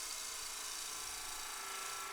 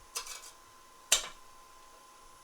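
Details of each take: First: Spindle turning on a wood lathe, bevel rubbing with cutting on the heel/bottom half of the tool, producing planar shavings: an even, continuous shearing hiss with no chatter or catches; a normal clean cut. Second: Spindle turning on a wood lathe with a skew chisel and the tool rest set too low: the tip contacts the work while only the heel rests, giving sharp sudden cracks over faint lathe hum; a deliberate catch, preventable by raising the tool rest.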